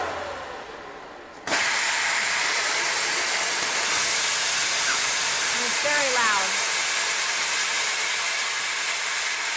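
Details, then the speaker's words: Air Venturi Personal PCP compressor after automatic shutoff, tank valve closed, cooling system turned off: loud sharp hiss bursts out and holds several seconds; release valve venting normally. "And then I'm going to turn the cooling system off so you guys can hear the release valve."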